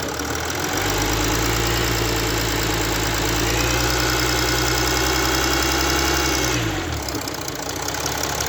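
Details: Mercedes CLS 350d with OM642 diesel engine pulling under light throttle at low speed, warm engine, with a faint high whistle heard in the cabin; absent when cold; owner unsure if normal.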